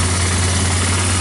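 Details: Yamaha Bear Tracker 250 (YTM250) ATV with new intake, carburetor and battery, first start on a jump pack: even single-cylinder putter holding a steady low idle with no stumbles or rattles; healthy, with the charging system appearing to work.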